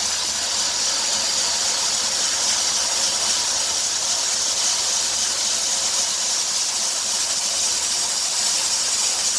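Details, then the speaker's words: 2003 Dodge Grand Caravan 3.3, 372,528 miles: a steady hiss with a faint chirp that rises toward 2000 rpm and stops when the belt is sprayed with water. The idler, tensioner pulley and power-steering pump were already replaced, so the owner suspects the drive belt. "almost sounds like a vacuum noise but the engine runs too smoothly to be a vacuum so i think i'm going to try a new drive belt"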